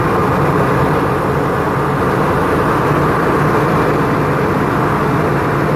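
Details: Isuzu FEZ280 six-cylinder diesel truck after its temperature clutch fan was refilled with oil; steady, even idle under a strong, constant rush of fan air, no knocks or surging; normal idle.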